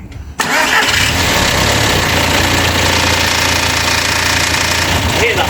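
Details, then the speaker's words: Audi TT Mk1 1.8T quattro 225 bhp, 6-speed manual: busy metallic front clatter at idle, chain slapping timing cover as hydraulic tensioner is starved of oil pressure; rattle fades around 2,300 rpm or when revs blipped. Timing chain rattle. "yeah so the charming timing chain is hitting off the time and cover and that's what's causing the rattle because of the chain tension and that's because of the chain tensioner is getting starved of oil often"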